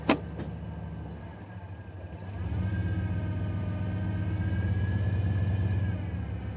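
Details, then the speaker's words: 1991 Chevy truck idling in gear (drive or reverse): steady high whine gone in neutral, fades on take-off and returns slightly on shifts; failed GM torque converter. "So right now we're in neutral, and when you put it in drive, you get that whine right there. You take it out of gear, it goes away."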